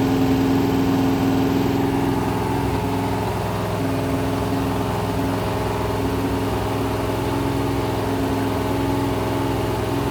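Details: Rebuilt 426 Gen 2 Hemi crate V8 (new heads, intake, pistons) on run stand, flat-tappet cam break-in, ~15 min in, ~210°F, 50 psi oil: steady even high idle, smooth unbroken drone, no knocks or ticks; healthy break-in.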